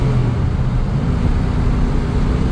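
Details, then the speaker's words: 1997 Chevrolet K1500 5.7L Vortec V8, 211,812 miles, rebuilt 4L60 transmission: rough second shift, now gets third but stuck out of fourth; a deep, steady, unchanging drone sits low under the engine, cause unknown. "Now I'm getting third gear, but I'm not getting fourth gear. All right, dead stop. Let's see what happens. Sorry, rough second shift. Now I'm trying to get into third. And it went into third. No, now I'm stuck. Does not want to go into fourth gear."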